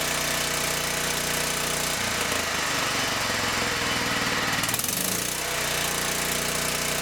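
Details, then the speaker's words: John Deere STX38 mower, Kohler CV12.5, warm after an eight-minute break-in of the new camshaft that replaced one with a worn exhaust lobe. A steady, even beat with a brief throttle change; it no longer sounds constantly under load. Healthy. "nice nice nice a new camshaft seems to run very very well it doesn't sound like the engine's under a load all the time"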